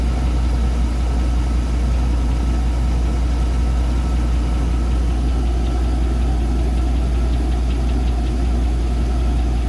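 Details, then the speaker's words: 2002 Chevrolet Avalanche 5.3 LS V8 at 255k miles: deep, steady idle with a dull, loose knock about once a second; engine knock at idle, owner suspects bearing wear. "But that sounds to me like a knock of some kind, whether it's bearing wear or something else. I don't know."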